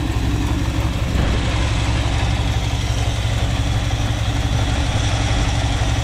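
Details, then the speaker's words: 1976 Dodge Power Wagon W100 4x4 V8 with bad blow-by, valve cover off, running: steady deep idle, no tick on this side while the other side plinks a little; owner suspects valve seals/valves not closing fully; idle without valve tick. "you can hear a little plank on that side but nothing on this side"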